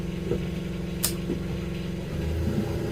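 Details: Fischer Panda diesel generator on a Grady White 336 boat, started with the boat in the water and coming up to 120: steady low drone, even beat, one brief tick, no knocking or hunting. Normal running.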